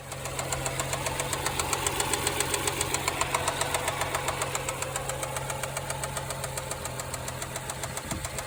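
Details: BMW N55 535xi engine at idle: a sharp, very regular metallic knock about 3.5 per second. The car stalled, restarted but kept shutting off, and the knock grew louder. With the valve cover off, the timing chain was tight and springs and rollers were intact; cause undetermined.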